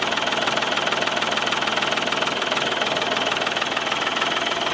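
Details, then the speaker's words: Old tractor jump-started with battery booster after starting fluid: even steady idle, regular firing pulses a bit over three per second, no misses or knocks; running fine. "so you hear you hear how well it turned over that shoe marker it's not showing anything now I don't know guys it's probably dead but that's what it took to start that bad boy"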